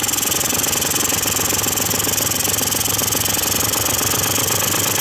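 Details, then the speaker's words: Quantum RS two-stroke scooter with carburetor mixture screw fully closed, which owner says leaky crankshaft seals can require: buzzy idle with a loose, unsteady beat about four per second that stumbles as if dying. "dobra odpalamy teraz przy maksymalnym skręcenie zgodnie mieszanki czyli zaczyna przygasać za chwilę będzie zacznie chodzić tak o to chodzi"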